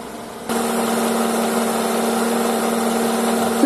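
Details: Honda CR-V engine heard from under the car with a stethoscope: a steady whirring tone with overtones at idle from the belt tensioner pulley; worn bearing.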